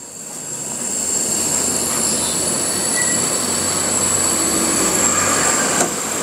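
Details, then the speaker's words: Destec LPG gas regulator, clicked onto the cylinder valve, microphone held close: steady, high, even hiss continuing with the regulator shut, with a faint gas smell; gas leaking through the regulator. "Lalu kita putar terus sampai bunyi klek gitu ya. Nah disinilah terdengar bunyi ngewes kawan-kawan."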